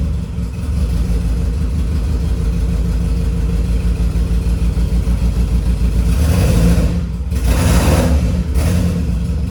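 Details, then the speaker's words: Freshly rebuilt turbo D16Y8 in EK Civic Champ Car just after first start: steady low throb with even firing and clean throttle blips, in time, no knocks or engine noise heard. Normal running. "still down a hole for sure but it sounds good so it's in time and everything it's actually starting to pick up right now so that's really good um i don't hear any engine noise"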